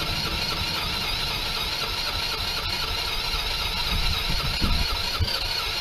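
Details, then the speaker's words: PGO T-Rex 150 scooter that had not run in years, started on a little old fuel after the choke was bench tested. Small engine idles with an uneven, hunting beat until the idle is adjusted to settle it; needs a tune-up. "just needed to mess with the idle there to get it to settle down"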